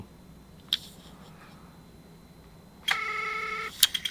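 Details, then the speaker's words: PSP 1000 loading a UMD game: quiet, then a harsh buzzing whir under a second and a few sharp clicks as the disc loads; it does load but sounds rough, cause unknown. "Ooh. That didn't sound good. You hear that? It's loaded. That does not sound good though. Damn. Oof. That is rough. But yeah, it does load."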